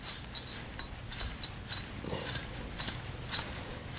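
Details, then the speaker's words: Truck alternator, professionally rebuilt and repainted, failed in under a year, spun slowly by hand: scratchy ticks and clicks about twice a second; rough and noisy inside, cause unknown. "this is the alternators I had we've built it's all been redone and Larry Larry painted it up but here I'll show you if you hear this it takes a minute"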